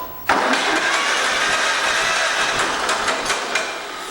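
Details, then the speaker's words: Late 1947 John Deere B tractor, electric starter cranking briefly with no oil in engine, fairly new battery; steady even cranking with no grinding or slipping; normal starter cranking. "but as you can see the engine does crank and turn over the electric start on it does work"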